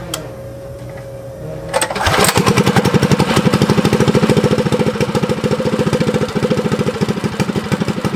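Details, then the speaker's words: Abandoned Motovox mini bike with a Predator engine, sat outside two years, after idle screw adjustment: fires up in about two seconds and holds a quick, even putter without hunting or stalling, idling with choke open or closed. "so we got that problem fixed so now it idles with choke open and close so that's a good good sign right there"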